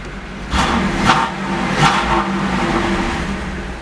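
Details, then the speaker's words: 1988 Camaro IROC 350 TPI with intermittent misfire, stalling and a flashing check engine light but no stored codes: idles evenly and takes two quick blips cleanly, no sputter. Bad ICM and computer were later replaced. "not misfiring at all not sputtering"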